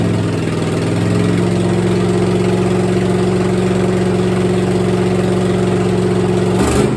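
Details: 1964 Chevelle V8 first start after sitting, little coolant in it: strong lumpy idle with a sharp, raspy chuff on each firing pulse; open header on one side leaking exhaust at the head, three header bolts missing.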